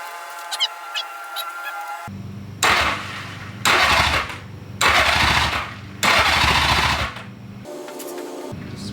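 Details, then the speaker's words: Honda GL1100 Goldwing bobber engine after a starter clutch rebuild (engine removed; before, cranking clanked horribly near the alternator/starter clutch): four strong, even cranking bursts engaging cleanly with no slip or free-spinning whir; the starter clutch now works. "so let's start it up and more importantly let's see if it starts up and if our starter clutch pair actually worked"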